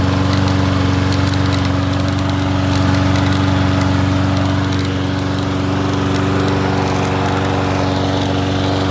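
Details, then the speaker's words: Troy-Bilt TB110 push mower after valve lash check, a plug gapped to 0.030 and a used carburettor: steady, even drone at constant speed, no misses or knocks; normal running. "It's hitting the recoil. Am I going to have to spray it? Other than that, he sounds like a peach."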